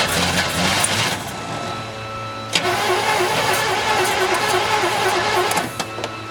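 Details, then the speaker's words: 1972 Chevelle Malibu, original small block, sitting 15 years; chassis and engine grounds hooked up, starter fluid used. Cranks, fires and runs rough about three seconds then dies; owner suspects the distributor needs adjusting and the carburetor lacks fuel. "so this baby's going to run I just need to adjust the distributor a little bit"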